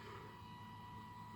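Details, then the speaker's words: Skoda Octavia Mk3 1.6 TDI diesel after fuel filter replacement, transfer pump switched on from diagnostic controller to prime: quiet electric pump hum that drops lower and settles as the filter fills; filter full, pump running normally. "You will hear it now, and as the sound of that goes lower, that means it's harder to work. That means the fuel filter is filling up, and just let it go for a bit."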